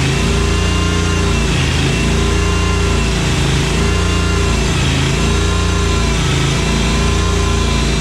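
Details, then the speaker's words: Cub Cadet 1864, after the fuel flow fix. It holds speed but wavers gently every second and a half over a steady drone, still running a little lean. Carburetor cleaning is next, though EPA-lean tuning may limit it. "I'm still gonna pop the top off this carburetor here and take a look inside because it's running a little lean."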